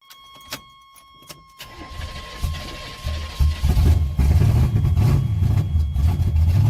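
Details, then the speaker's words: Worn Chevrolet 305 V8 in an S10, carb refitted, cold start after sitting overnight: catches then idles with uneven loping beat and light tapping; rocker tapping and a dead cylinder suspected. "I already got a rocker tapping pretty bad and it's like his little dog got dead cylinder"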